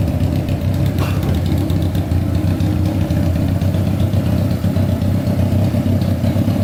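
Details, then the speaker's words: Honda CBR600 engine-swapped go-kart, carburetors serviced, cooling refilled, idle seemingly set high; smooth even four-cylinder burble at steady idle, no misses, all cylinders firing; normal idle. "all right we're gonna let this idle for a bit see if anything comes on like the fan man that sounds pretty good"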